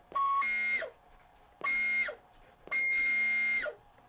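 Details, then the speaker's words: 1996 Sony CFS-B11 boom box cassette: three bursts of piercing, steady high squeal on pressing play, dropping in pitch as the motor stops; motor suspected of squealing; belts replaced and motor lubed. "I'm going to say the motor is squealing, if I had to guess."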